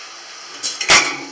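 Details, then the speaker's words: Home heating radiator being bled through a partly loosened bleed screw under a sealed bag; short sharp hiss and spluttering spurts as trapped air purges out. "Voilà, là, ça purge. C'est tout simple."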